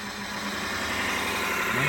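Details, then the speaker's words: Wood lathe with steady rest, boring head truing a crooked hole: after waxing the steady rest contact points, the squeak is gone and it turns with a steady, even hum and no squeal. Running normally. "we're gonna wax up where it's touching and you're gonna hear that this will go away man let's try it look at that it's it gone right"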